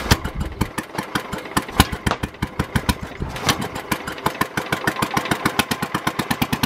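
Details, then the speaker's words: Early Kohler K181 8 hp single-cylinder engine for a Pennsylvania Panzer T75 tractor, first run on the bench: sharp, heavy bangs with uneven spacing as it catches, firing a little hard because these early K181s lack a cam decompression lobe. "when I first got this to run you might have been able to hear it it was firing a little bit hard"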